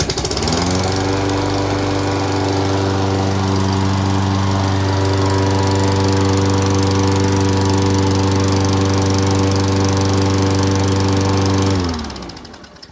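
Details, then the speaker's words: 2011 Craftsman lawnmower 247.371240, repaired by carburetor cleaning and a new spark plug: a quick pull starts it easily, it holds a steady even drone for ten seconds, then winds down; healthy. "This is the lawnmower, and it is working awesome. A quick turn, and look at how easy this starts up."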